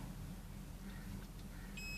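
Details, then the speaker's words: Transformer secondary winding (thick output wires) checked with multimeter continuity: quiet hum then steady high beep, reading drops to zero ohms, showing the winding is intact. Continuity beep, intact winding. "Beep sound வருது. ஆனால் பாருங்கள், ஜீரோவுக்கு போயிடுச்சா? ஜீரோவுக்கு போயிடுச்சு பார்த்தீங்களா? இப்போ இது செகண்டரி."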